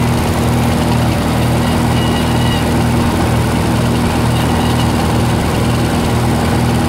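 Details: 1948 Lincoln SA-200 welder engine, long unused, revived with little work, with a short stack with resonator: a smooth, even idle with a steady low thrum and no knocks or misses. Normal, quiet idle.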